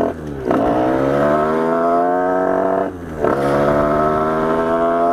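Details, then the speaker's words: Reiju MRT Trophy with 75cc MVT Iron Max kit and Yasuni exhaust, two quick throttle blips, pitch climbing and holding with a blubbery rough edge; carburettor running too rich, needs a small carb adjustment. "il a un petit réglage carbu à faire, mais bon. Oh, le bruit, c'est..."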